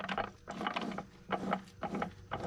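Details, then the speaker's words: Dodge Neon SRT-4 transmission that would not go into 4th and locked the wheels while rolling; shaft turned slowly by hand gives repeated rattling clunks and grinding past the sheared gear, every fourth gear tooth gone. "Man, all the teeth are off of there. Every single one of them. No fourth gear teeth. They're all gone."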